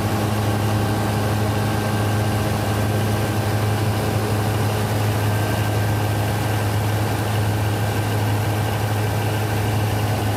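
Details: Denyo DCA610SPM diesel generator that wouldn't start, running after checking the magnetic pickup (1.3–1.4 ohms) and its wiring: steady, even diesel drone with a smooth low hum and no knocks or misses; idling normally.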